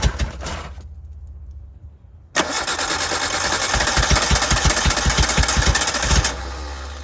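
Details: 1988 Suzuki Samurai, parked since late 1990s, fed from gravity tank: cranks, catches and runs unevenly a few seconds with lumpy pulses, then fades; owner suspects poor fuel delivery; brief start then stalls.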